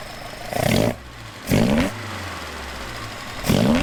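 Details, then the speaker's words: Alfa Romeo 105 GTV with twin Weber/Dellorto carburettors after synchronisation balance: even steady idle, slightly lowered, between three quick throttle blips rising and falling cleanly; smoother, less vibration than before balancing. "you can hear the revs now are much smoother the engine is much happier it's not vibrating as much"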